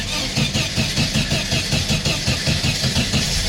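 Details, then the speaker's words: 1974 VW Super Beetle, cold engine, just after refitting the loose ignition coil negative wire: uneven, lumpy cranking as the engine struggles to catch, then it runs; the owner thinks it flooded from pumping the pedal. "Yeah, there it goes. I think it's flooded now, though, from me pumping it. Yeah, definitely flooded."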